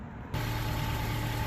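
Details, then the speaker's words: Honda CR-V 4WD (possibly 2011) after installing an aftermarket split flange at the rotted intermediate-pipe-to-rear-muffler joint: engine started cold, settles into a steady even idle with no exhaust puffing or ticking; no exhaust leak. "take the gloves off you touch it should have no leaks whatsoever okay there you go good as new"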